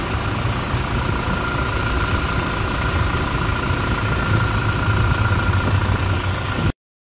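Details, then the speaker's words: 2016-up Toyota Fortuner after replacing alternator pulley, rear bearing and drive belt: steady even idle, smooth low rumble, no squeal, chirp or rattle from belt drive; runs healthy. "Okay, ito yung tunog niya mga paps pag walang maingay"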